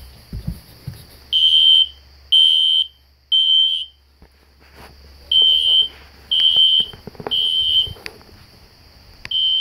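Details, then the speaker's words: System Sensor SpectrAlert Classic horn strobe set on low volume, heard in background: high piercing horn in three short blasts, pause, three more; normal temporal-3 evacuation pattern. "Right now they're going off. I have the classic spectr alert horn strobe set on low volume so it's not too loud. You can hear it in the background."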